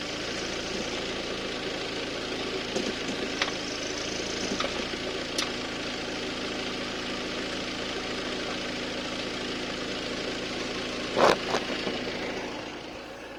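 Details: Audi A6 C7 2.0 TDI with S-Tronic gearbox, oil and filter changed 10,000 km earlier: diesel idle hum with sharp isolated clicks when selecting R or D, also on 3-2 or 2-1 downshifts, for the last 2000 km; cause unknown.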